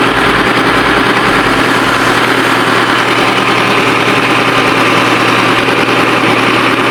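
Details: Ford 6610 tractor diesel idling just after overhaul (4 new liners and pistons for smoky running) and hydraulic O-ring kit repair; steady even clatter, no knocks or misses, smooth healthy engine.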